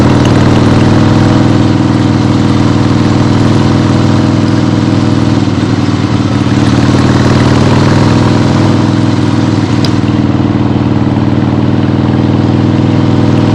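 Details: 1975 Harley-Davidson XLH Ironhead Sportster, freshly rebuilt and basically stock, on a test ride with the camera clipped to the rider: deep, steady V-twin thump holding an even beat under road and wind noise, no knocks or misses; healthy.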